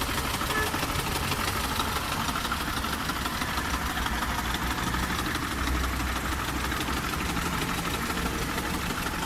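Steady idle with a rough, fast ticking knock about three per second riding over the engine; the cause needs further checking.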